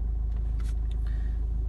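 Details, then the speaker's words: Renault 1.5 dCi diesel after a starting problem was repaired and fault codes were cleared, no warning lights: low, steady chug with a fine, even beat, nothing rattling or missing, normal diesel idle. "j'ai pas de voyant tout fonctionne correctement"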